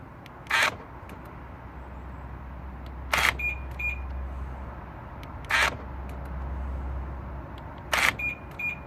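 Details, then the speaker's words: BMW F01/F02 passenger door lock actuator after repair, tested before refitting: four crisp lock and unlock clunks about 2.5 seconds apart, each sharp and complete; actuator working properly. "I've tried many times before and is absolutely spot-on"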